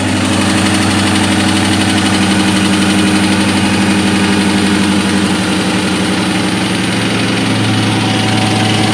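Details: 2003 Ford SVT Cobra V8 at idle: loud, slightly uneven knocking about four per second over rough idle; piston slap from badly scored pistons.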